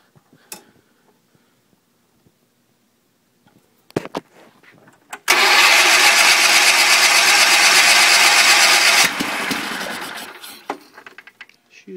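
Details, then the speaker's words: 1974 Sears Suburban SS16 tractor cold start after cleaning, with water in the engine and only one cylinder firing. The starter churns steadily for about four seconds with no catch. The engine is flooded, spitting gas, and won't start. "spitting gas out of there so it's just flooding a crap out of itself right now which I kind of figured it was going to do cuz that is a lot of water in there too"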